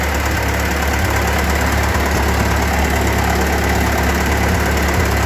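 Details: Ford 8N tractor four-cylinder just fitted with a spin-on oil filter and new alternator: low, steady idle thump with an even beat, no rattles or misses, oil pressure present; normal healthy idle.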